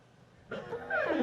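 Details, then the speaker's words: Rivian quad-motor truck, Gen 2 exterior door handle: short, sharp squeak under a second with sliding-down pitch as the handle moves when unlocking with the key card; dry door handle mechanism squeaking. "Let's grab out the key card. Ooh, did you hear the squeak? Let's do that again."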